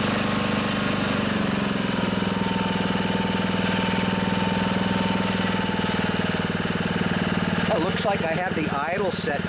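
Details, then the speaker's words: Honda HR215 lawnmower, warmed up, after the clogged carburetor slow (pilot) jet was cleaned to cure low- and high-speed surging: steady, even idle without hunting, then a clean rev that holds. Normal idle, surging fixed. "right so I got lucky there seems like it's idling fine once it warms up I'll rip it up to see how it goes"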